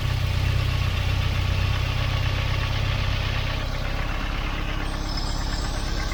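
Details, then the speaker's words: Volvo 940 Turbo after fitting a replacement fuel pressure regulator: catches and settles into a steady even idle, a touch high at first from leftover fuel after running rich, no misses or knocks. "she's hiding a little bit high but there would have been loads of extra fuel in the in the manifold and in the cylinders from where it was running so rich"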